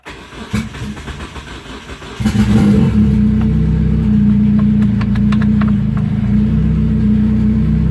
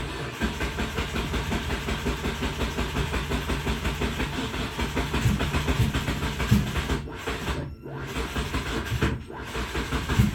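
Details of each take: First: Turbo Hyundai Tiburon rebuild, first start in a while with a used starter. Slow cranking with weak firing, then it catches and settles into a steady, even idle; the owner thinks fuel pressure looks low afterward. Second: Turbo Hyundai Tiburon on reassembly, with a used starter fitted and fuel primed. Laboured, uneven cranking that drags and pauses before finally starting; the owner doubts the used starter is strong enough.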